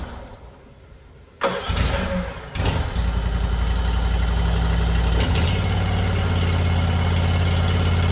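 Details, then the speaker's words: Toro Titan HD mower with Toro twin-cylinder engine, started with new fuel filter and fuel line primed by tank air pressure; quick cranks, then steady even idle without misses or knocks; normal start and idle. "It'll send fuel up through that new fuel filter and that new fuel line, get it up into the carburetor, and it should fire right up pretty quickly."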